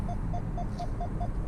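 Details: 2019 Nissan Altima with ProPILOT Assist on Highway 401: six quick, evenly spaced hands-off warning beeps over steady road noise, cleared by putting hands back on the wheel.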